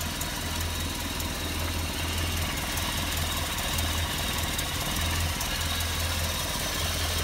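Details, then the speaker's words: Land Rover Series 3 carburettor engine warming up: steady idle on the fast side with uneven low thump; owner asks if tick-over is too high, notes carburettor adjustment screws barely help and an exhaust gap between downpipe and manifold. "but let me know what you think with regards to the tick over whether you think that's too high"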